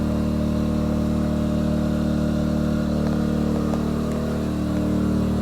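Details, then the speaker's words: Yamaha EF2000is 2 kW generator in below-zero January weather, powering a whole 3-bed house with the garage lighting just added: steady, even drone at a raised speed under load, no misses or knocks; normal, healthy running. "all right here we go all of this the entire house running off of a Yamaha ef2000 is it is possible"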